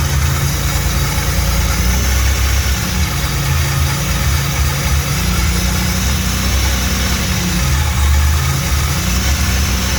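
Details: Rebuilt 3800 V6 on its first start. Steady, even low idle with no knocks, ticks or misses: the engine sounds healthy.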